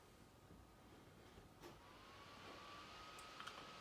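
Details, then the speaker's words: Old laptop compared with a Dell XPS 15: a faint, thin tone slowly climbing in pitch over a quiet hiss as the old laptop's hard disk spins, louder than the XPS cooling fans; hard disk drive spinning noise. "Okay, hear that disk spinning. The XPS does have cooling fans, but it doesn't. It's not nearly as loud as that."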